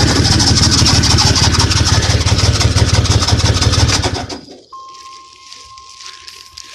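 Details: 1998 Dodge Dakota 3.9 V6, swapped engine with no spark because a broken camshaft gear stopped the distributor turning; after repair it runs at a steady, even idle with a regular low beat for about four seconds, then shuts off; normal idle.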